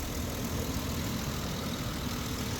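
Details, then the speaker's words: 2008 Ford Explorer that previously shut off by itself while just idling: even, low steady rumble with no misses or stumbles; idling smoothly at this moment. "It was just sitting here idling like this and it just shut off."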